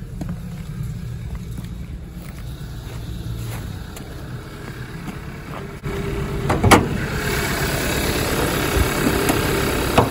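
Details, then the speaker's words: 2014 Hyundai Elantra with coil-on-plug ignition, in gear and brake-torqued: lumpy, uneven idle with stumbles, shaking and chugging, check engine light flashing for severe misfire; traced to a failed ignition coil. "but if i go ahead and put this thing in gear and break torque it or power break it you'll hear maybe chug a little bit and now we've got a blinky check engine light so that tells you even the ecm is seeing a severe misfire"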